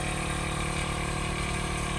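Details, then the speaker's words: Truck's horn compressor (Horn Blasters train horn, about 6 years old) running after battery reconnected; steady, even electric hum with fast low pulsing, no knocks or squeals, building pressure normally. "Yeah. It's almost trying to do something. Sounds like the compressors are working, or the compressor."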